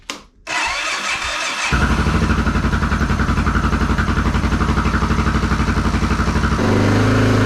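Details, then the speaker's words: Honda XR650L's first start after reassembly with the factory decompression refitted and the cam lobes and rockers in moly break-in grease, choked: it catches cleanly and settles to a steady, even thump around 2,000 rpm, no knocks; it starts much nicer than before. "That around 2,000 RPM, fluctuating the RPM for 5 minutes or so, and now I'm going to put the seat back on and we'll take it for a ride tomorrow. But that started up much nicer with the decompression in there."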